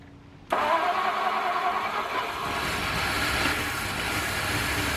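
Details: 1953 Ford flathead V8, unrun for years, converted to 12 V starter and coil, fed from auxiliary gas can, started by jumping solenoid: fires straight into a steady, even idle with no knocks or misses.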